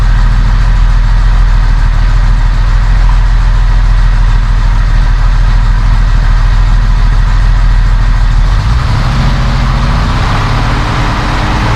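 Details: 1971 Mercedes-Benz 280 SE (W108) after its mechanical fuel injectors were cleaned and bench-tested: even, steady idle with no missing, then a clean rise in revs; a little smoke, possibly running slightly rich; sounds good.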